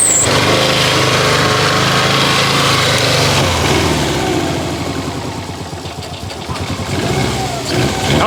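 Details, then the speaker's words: Subaru STI drag build started after sitting, gas probably old, possibly flooded: catches and runs loud with a fast, fairly even beat, revs sagging briefly then settling, healthy overall; normal running. "baby she even sounds healthy maybe a little bit Frozen but healthy overall if I stop I'm going to die this thing is healthy son"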